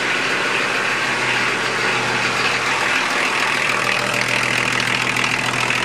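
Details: 1981 Datsun/Nissan Maxima wagon, 2.8 L diesel, automatic, after replacing broken injection pump timing belt, water pump belts off; steady, even diesel clatter at idle, no misses or knocks: normal idle.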